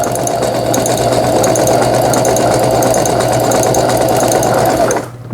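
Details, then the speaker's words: Brother XL-6050 household sewing machine after repair including bobbin case replacement, sewing overlock stitch along fabric edge: fast even stitching hum, steady needle rhythm, no knocks or grinding, stops cleanly; normal sewing operation. "이 가정용 미싱이므로 속도를 빨리 하시면 안 됩니다. 바느금질이 풀리지 않도록 해주는 오버록 스티치까지 정상적으로 수리가 되었습니다."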